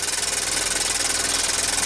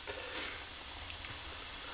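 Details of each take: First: Childhood Meccano toy steam engine run in reverse gear, first firing in years with a steam leak at the top not yet fixed. Quick, even chuffing with a hissy top end and steady beat; runs smoothly. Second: Childhood Meccano toy steam engine fired up for the first time in years: steady rhythmless high hiss of steam leaking from the top, where a fibre washer is not sealing properly; water also dribbling out.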